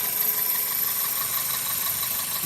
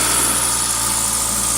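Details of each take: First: 2000 Toyota Celica GTS 2ZZ, warm idle at 82°C coolant, about 730–750 rpm, owner suspects idle air control valve for high idle: smooth even steady idle, no knocks or surges; normal warm idle. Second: 2000 Toyota Celica GTS, 2ZZ engine, warm at 90 °C coolant, throttle cable disconnected, idling at 1800 rpm with throttle position 11–12%; steady raised idle hum, suspected extra air or vacuum leak, idle air control valve suspected.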